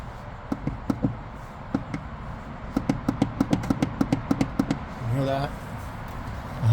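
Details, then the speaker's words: B5 2003 VW Passat (same issue on Audi A4): sharp, irregular clunks and knocks from the front end as the steering is turned, sounding like suspension but caused by a loose steering rack mounting bolt where the rack bolts to the body. "What that was is this right here. This bolt. See that bolt? That's a steering bolt right there."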